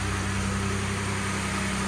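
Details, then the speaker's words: 2020 Ford F-150 STX after the no-power fault was fixed and the stored codes cleared with no codes remaining: smooth, even idle with a steady low hum, no misses, knocks or ticks; normal idle. "all right now we're starting the car everything is good is working and we have no codes and that's it guys and everything is running good"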